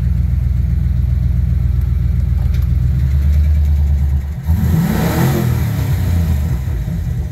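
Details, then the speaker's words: V8 Ford Ranger after fuel system upgrade (Walbro 255 pump, fixed kinked feed line, regulator change) and new tune with updated injector size: deep steady burble, clean throttle blip rising and settling smoothly, idles evenly; running good. "it's running good it's running real good I like it"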